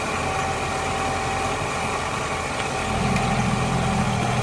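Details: Suzuki Katana (Jimny) ex-racing engine at first start after full rebuild back to stock, oil pump primed beforehand; previously smoked white. Smooth steady idle picking up cleanly on throttle blips, no knock or rattle; healthy.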